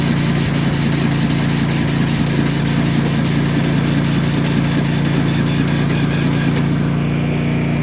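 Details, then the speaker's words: Yard Machines small engine after jumper cables and more battery charging, given throttle. Steady starter churning at about three to four turns a second, never firing; cranks but won't start. Owner suspects the starter or a junk battery; unconfirmed. "Why is it not going? Give her some throttle this time. Might be the battery."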